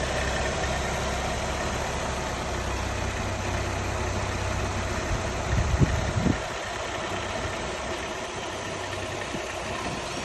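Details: 2015 Nissan Altima 2.5 SV, 75K miles, idling with a faint steady whine over a light, uneven rattle; cause unidentified.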